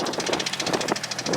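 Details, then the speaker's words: Turbo Nissan 370Z (Z34) just after a friend drove it hard and blew the engine: rapid, sharp knocking about ten raps a second at idle over the engine note. Suspected serious internal damage, not confirmed. "my boy just broke the goddamn engine for you guys you hear that knock knock hello"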